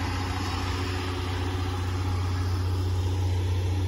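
Steady, even low rumble with a smooth, regular beat and no knocks or misses; this engine is idling cleanly.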